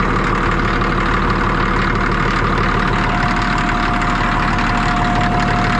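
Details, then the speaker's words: Cat D6D dozer, late 70s/early 80s, diesel just started easily, loud steady idle with even unhurried beat, no misses or knocks; engine bay covered in hydraulic fluid, blade hose leak suspected. Normal idle. "it actually fired right up I didn't get it on video but it started pretty dang good"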